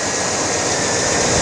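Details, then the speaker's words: 1989 Chevy K-1500 at idle after the alternator was replaced: a short, steady whir with no squeal, whine or grinding; normal alternator sound. "and how that's that's the way an alternator is supposed to sound all right so that was a resounding success"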